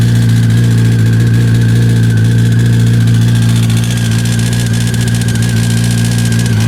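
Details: 2005 Yamaha R1 (5VY) at idle: steady low idle with a faint, fairly even rattle about four beats a second; something loose inside, cause unclear.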